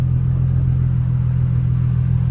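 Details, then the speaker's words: Nissan 350Z after manual transmission swap, test start with oil and coolant filled: deep even idle, smooth steady hum, no knocks or ticks; sounds good after a slightly long start. "Ooh, a little long start, but sounds good, man."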